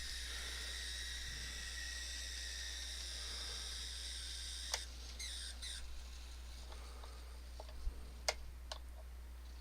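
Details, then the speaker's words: Atlas/Kato RS-11 N scale locomotive motor: thin, steady high-pitched squeal, then scattered sharp chirps and clicks, worse in reverse; owner suspects a bent axle, cause unclear. "Normally this one, the motor just sits there and squeals and makes all sorts of noise."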